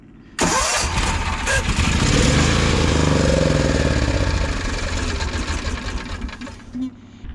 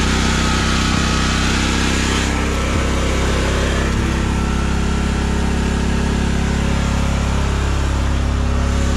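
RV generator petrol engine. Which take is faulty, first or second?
first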